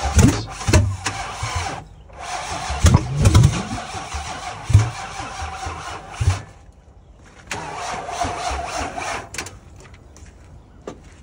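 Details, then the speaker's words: 2008 Nissan Titan V8, about 217,000 miles: several cranking bursts, then a loud, uneven catch before settling; exhaust smells very rich, and a catalytic converter or emissions problem is suspected. "Or cat's gone, yeah, you can hear it was kind of loud there when we were trying to start it up."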